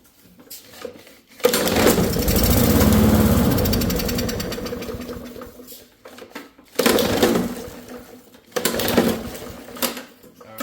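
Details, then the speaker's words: Old push lawnmower, not running, sprayed into intake: bursts into a loud ragged run for a few seconds, fades and dies, then short sputters; good spark, so carburetor not delivering fuel, to be cleaned or replaced. "We are getting good spark and it will run when it is forced to have fuel. But that means that the carburetor is not carbburating."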